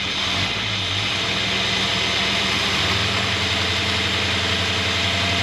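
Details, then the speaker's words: 1963 Jaguar Mk10 with Mopar 440 V8, revived after decades, 80 psi oil pressure: smooth steady idle, no knock or tick; earlier knock gone, main or thrust bearing play after cranking suspected. "Sounds good to me. Sounds really good."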